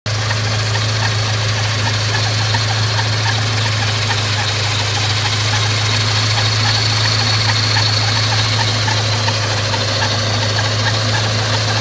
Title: Scion FR-S Kraftwerks SC loud noise